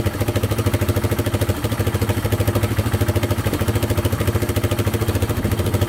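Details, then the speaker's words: Yamaha Wolverine 350 4x4 ATV (last registered 1999) after carburettor cleaning and fresh fuel; single-cylinder thumps steadily and revs out cleanly without the choke, no stumbling or hunting; still smoking heavily, owner to check oil. "still smoking pretty good but uh revs out without the choke now all right so it definitely runs a lot better with that carb clean"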